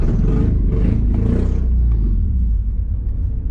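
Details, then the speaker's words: Honda Accord CD7 with freshly swapped H22 engine on its first drive attempt: uneven, lumpy low rumble that stumbles, sags and stalls; misfiring because the distributor firing order was wrong, later corrected for smooth running. "Come on, don't stop stalling out. Stalled out. Something ain't right. It's not running good."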